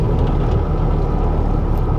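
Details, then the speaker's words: 2012 Ford F-150 EcoBoost 3.5 L twin turbo FX4, about 160,000 miles, stolen and recovered, driving in four-high: heavy, steady low rumble and nasty vibration at road speed; owner hopes it is the tires. "I don't know what that is that sound sounds pretty horrible but it is in four-wheel drive"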